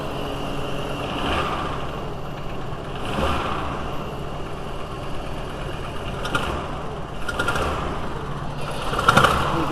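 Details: VW T4 2.5L cold engine idling unevenly with an irregular puffing stumble, possibly like an exhaust leak, during an intermittent rough-running episode; plug found wet; cause suspected, not confirmed: rough running when cold.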